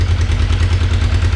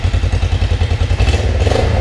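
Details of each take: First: Kawasaki 454 LTD (EN450) twin after rebuild, cold engine with choke working: deep lumpy thrum with slightly uneven firing pulses at idle; runs rough cold, must reach operating temperature before revving high. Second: Kawasaki 454 LTD (EN450) twin after rebuild, carbs and fuel petcock cleaned, coolant flushed, radiator fan running: even loping idle with regular exhaust pulse, no chain slap or rattle; runs healthy, ridden around the block fine.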